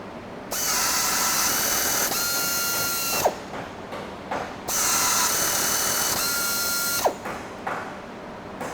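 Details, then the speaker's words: Pneumatic Flex tapping arm with 1500 rpm motor, OSG three-flute bottoming tap, 1/4-20 blind hole in stainless steel with coolant: two clean steady whirs of about 2.5 seconds each ending in a short clunk; normal tapping, no breakage. "so yeah stainless steel quarter 20 tap in and out in a couple seconds zero tap breakage straight threads"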